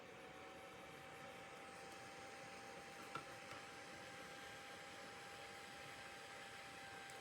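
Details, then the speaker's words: Small seven-blade computer fan, measured around 6800 to 7000 RPM with a DIY tachometer. Constant airy rush with steady high whine, no ticking or wobble; healthy. "so the speed is around 6800 to up to 7,000 you just have to find the right position because there's not much room to read it"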